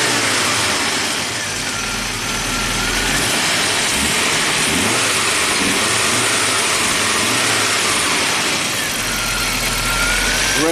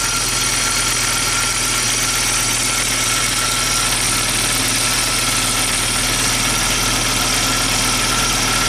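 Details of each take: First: Rare abandoned Audi turbo, cold engine in neutral, after a blown fuel line under the car was repaired: even, steady idle that rises smoothly with a light rev and settles back, noisy fuel pump audible; running normally. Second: Rare abandoned Audi turbo idling cold, just revived after fixing a blown fuel line: a steady hissy whine sits high above an even idle, a noisy fuel pump, though the engine runs smoothly.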